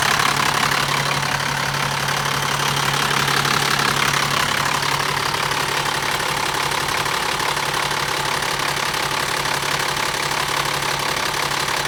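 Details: BMW E60 with M57 diesel at idle: fast, fairly regular metallic ticking rattle at about three per second over the clatter; the noise is attributed to the timing chain (suspected).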